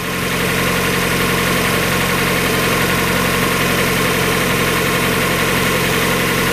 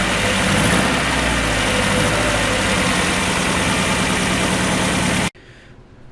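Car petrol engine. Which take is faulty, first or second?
second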